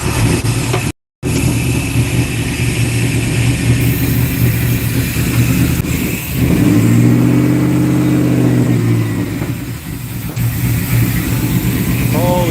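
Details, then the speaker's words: 1992 Chevy C1500 LS1/T56 swap on its first start, standalone harness and no radiator, after the fuel pump was primed several more times: the V8 hunts, revs swelling and sagging while it struggles to control idle, with what is assumed to be header smoke; unstable idle, cause not found. "crap it's having a hard time controlling it but I'm going to call that good she runs"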